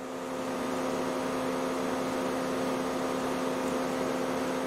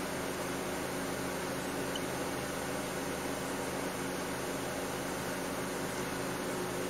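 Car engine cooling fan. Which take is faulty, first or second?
first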